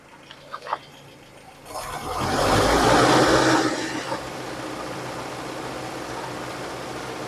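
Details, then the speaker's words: 66-year-old Land Rover after replacing broken valve spring parts (ticking appeared after a 100 km/h run), first start in the vehicle: engine catches with a rising roar and settles into a steady, even idle, no knocks or misses. "There we go. She's sounding good as well."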